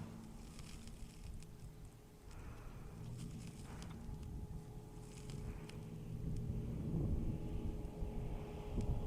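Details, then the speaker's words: LS-swapped 1991 Chevy OBS truck rolling back in from its first drive: a steady whirring hum with a constant tone over the engine rumble; the cooling fans are running normally. "you can hear them fans running"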